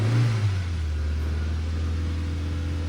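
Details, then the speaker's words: Nissan Sentra that would not start, first run after ignition coils regained power: short blip of revs falls into low even hum, steady idle without stumbling; a check engine light remains. "So try natin. Andandar na siya mga bossing. Nagkaroon na siya ng kuryente mga boss yung ating ignition coil ah."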